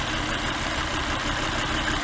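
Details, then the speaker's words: Petrol engine idling lumpy with one dead cylinder; unplugging that cylinder's fuel injector causes no change, identifying the faulty cylinder, which may have a bad coil, spark plug or fuel injector. "engine runs the same you can do it here as well no change at all that's the faulty cylinder you are looking for so that cylinder may have a bad coil may have a bad spark plug or may have a bad injector fuel injector"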